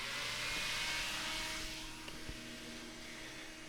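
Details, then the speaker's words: Electric fan on an Autocool HF-125 ground-side PWM controller, driven from about 6 volts up to maximum (about 9.5 volts on a 12.5 V battery) as if the sensor were very hot: loud, steady rushing whoosh with no ticking, running healthy. "So this is the pulse width modulation going on here. We're about 6 volts. You can hear that the fan is sped up. I'm going to go ahead and increase it all the way as if the sensor was very hot."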